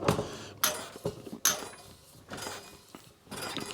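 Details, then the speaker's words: Mountain bike wheel during a speed build, squeezed for stress relief after truing; sharp metallic pings and clinks in short bursts as spokes settle into the rim and hub holes. "every time we de-stress it the spokes settle into the holes and you find that he's in a slightly different position"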